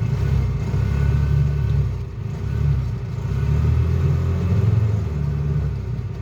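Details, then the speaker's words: Bobcat 3400XL (Polaris Ranger 500), single-cylinder fuel-injected Polaris 500, bought cheap at auction: at about three-quarter pedal it revs well, but at full throttle it surges, sags and decelerates. Owner wonders if it's a governor; cause unconfirmed. "if i take the the gas pedal and i push it down about three quarters of the way the engine revs good if i go the rest of the way to the floor the engine actually decelerates and sounds like it's getting worse"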